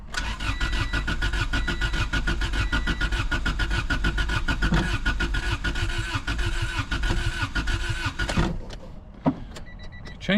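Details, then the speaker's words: Honda Civic sat about 10 years, varnished fuel, no fuel pump hum at key-on: steady cranking about eight seconds, no firing; fuel delivery suspected, starter fluid to be tried. "come on baby all right so I'm going to I'm going spray some some brake clean in there starter fluid or something and see if it wants to hit at all"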